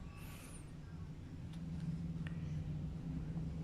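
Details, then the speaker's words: Refrigerator/freezer compressor seized: on power-up it draws 8.4 A and hums without starting, then the overload trips with a click (cetik), repeating; compressor runs hot and fridge doesn't cool. "nah ini kita coba kita Nyalakan teman-teman ya bahwa memang untuk mesin kompresor ini memang macet ya jadi ketika dinyalakan itu bunyi ceklik gitu"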